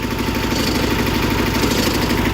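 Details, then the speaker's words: Idle on a 1984 John Deere 316 with freshly rebuilt Onan B43E, valves just relapped and resurfaced: faint, fast, regular light tick over a steady idle; owner expects the tick to fade with more runtime. "got a slight tick, but I mean the valves were just relapped and cleaned up and resurfaced and everything, so it'll probably go away as I put more hours of runtime on it."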